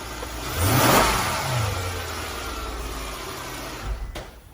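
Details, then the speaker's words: 2008 Mercedes CLS 550 after spark plug tune-up: revs climb smoothly and hold raised steady speed with no stumble, tick or miss; normal revving. "And it starts. Start. Keep your RPM letter high. That sounds healthy."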